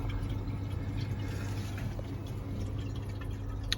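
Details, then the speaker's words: Vaillant 937 boiler after fixing the leaking hot water pump joint and refilling, boiler fired: faint trickling and gurgling over a steady pump hum from air trapped in the hot water pipes. The pump works, both pipes are hot, and there are no leaks. "to turn that tap off that should be full you can hear air in there we'll get that out in a second"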